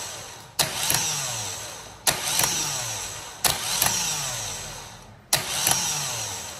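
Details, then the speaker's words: Vectra starter motor bench-tested with direct positive feed: four short whirring spins about 1.5 s apart, some kicking twice at engagement; works only intermittently, suspected poor contact from a loose terminal screw. "Teve uma hora que eu que eu coloquei aqui o positivo ele meio que deu duas ativadas isso aí pode ser um mau contato tá"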